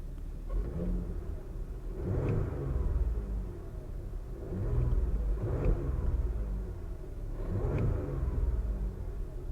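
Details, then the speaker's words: Car at a Copart salvage auction, throttle revved: three clean blips that rise and settle smoothly with no knocks or rattles; engine sounds healthy. "sounds good she sounds real good"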